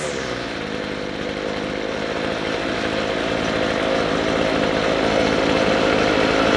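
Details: McCulloch 250C XL X-series two-stroke strimmer after the carburettor low and high mixture screws were turned out for more petrol. It holds a high, steady scream at full throttle, rising slightly without faltering or cutting out, running a lot better.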